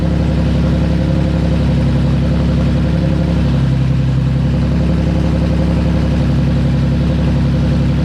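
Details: Nissan VQ35DE swapped into a 240sx S13, first start after a rebuild with new bearings, gaskets, rings and seals: smooth, even idle with a steady low hum, no knocks, misses or ticks; healthy, settled idle.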